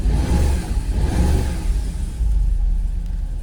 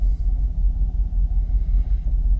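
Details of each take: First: Jaguar XKR X100 V8 after hard reset and full battery charge, cold morning start: deep uneven lumpy stumbling idle after a brief rev, seemingly not firing on all 8, revs dip in gear; rough idle, cause not confirmed. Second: Jaguar XKR (X100) V8 after an ECU hard reset, a fully charged battery and cleaned engine-bay connectors. Deep, even idle holds steady around 650–700 rpm with no hunting or warnings, no longer fluctuating as before.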